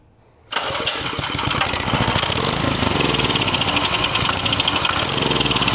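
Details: Vintage Tote Gote minibike small engine on starting fluid after replacing a gummed-up carb: after silence it catches at once and settles into a quick, even popping exhaust at steady speed; running fine.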